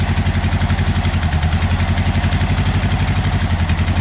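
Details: VW engine running on only the two cylinders on one side, whole car shaking, unburnt fuel smell: heavy, lumpy idle with a loud uneven thump about four times a second and a missing-beat pattern; stuck intake valve.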